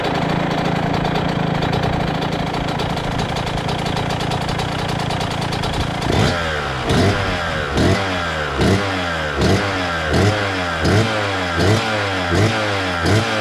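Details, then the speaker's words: 2000 Suzuki RM125 two-stroke after deep clean and carb adjustment, warming up on choke: steady burbling idle with sharp throttle blips, slightly soggy note; owner thinks it still runs a little rich and may lower jets or fit a new silencer. "all right let's see what she does she sounds like she's running a little Rich still so I'll probably down those Jets a little bit or just go ahead and put a new uh silencer on it because it seems like it's jetted for uh silencer"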